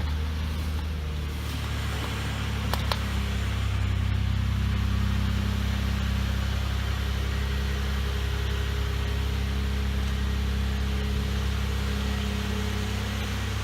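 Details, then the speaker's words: 2004 Chevrolet Impala after fuel pump replacement; the old pump failed intermittently in winter: it fires right up into a smooth, even low idle hum with a steady rhythm and no stumble or misfire. Normal idle. "let's try it oh she fired right up"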